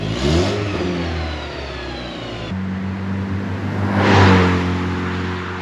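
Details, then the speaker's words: VW Mk4 2.0 wagon after fitting a Techtonics Tuning exhaust kit to cure a droning leak. A clean, deep note swells smoothly with revs and settles evenly, slightly louder, with no drone or puffing. Normal exhaust note. "All right, well, this is 1,000 times better than that leaking droning exhaust. Is it any faster? No, it's not. It's still a 2.0. But does it sound a little faster? Not really. Just a little bit louder."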